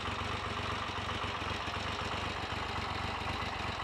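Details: Triumph Trident T150V triple, owned since 1982, first start in over 2 years (last taxed 2003), ticking over at a quiet, even idle with a steady beat and no knocks or misses; healthy normal idle.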